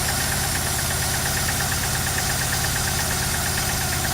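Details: Opel Manta after rebuild and carb clean, running without coolant, distributor being backed off: uneven lumpy idle, loping knock about three times a second; not misfiring, ignition timing suspected retarded.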